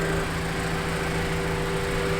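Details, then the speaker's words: Honda CRX warming at idle so the thermostat opens and coolant air purges: smooth, steady low hum with no whine or rattle; owner hears no sign of a failed water pump. "I mean, I don't hear any weird sounds like the water pump's"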